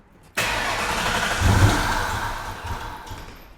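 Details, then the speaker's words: Long-stored Mustang Mach 1 V8 with new fuel work and boost gauges: the starter churns steadily for a few seconds but it never catches. Crank, no start while the fuel is still priming. "It's almost there. Crank it again. >> We got to let the fuel prime. >> It's priming."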